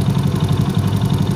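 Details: Honda Astrea Grand motorcycle after repair: steady even low idle, no knock; earlier rough "klotok" noise was caused by loose magneto (flywheel) retaining nut and a stray bolt left inside the magneto, now running smooth.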